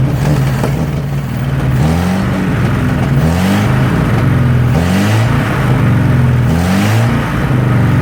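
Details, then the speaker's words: 1963 Nissan Junior ute, sat 15 years: revs surge and sag every second or two and won't hold idle, runs better on choke. Gap between intake manifold and head from a poorly seated gasket; large intake vacuum leak. "There's actually a gap where the manifold is not meeting the head. So I would say the gasket is not on there properly. So it just has a giant air leak."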